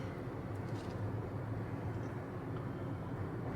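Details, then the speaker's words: 2018 Acura TLX at about 169,914 miles, driving after rear hub bearing replacement: soft, even road rumble with no growl or hum building with speed; night and day versus before, when it was dangerous to drive. "already sounds feels ten times better it's like night and day and this thing was before guys was like dangerous to be driving around"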